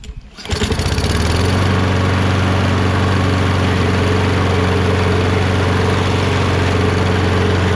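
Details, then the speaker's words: Kohler XT675 on Poulan 22" self-propelled mower, after carb clean and drive wheel replacement: engine catches within a second, then holds a steady, even drone with no misses or surging while self-propulsion drives both wheels; running healthy. "awesome self- proportion works great so that's it that was it"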